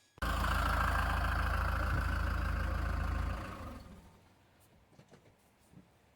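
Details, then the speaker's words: 2008 Citroën C6 2.2 HDi diesel after replacing the faulty inlet throttle unit (EGR butterfly) and erasing the codes: smooth, even note with no knocks, whistling as expected, then winding cleanly to a stop. Normal running. "But now it sounds like it should, and it should be whistling like this for, I don't know, a minute or so, and then it should shut off with a distinctive ticking sound."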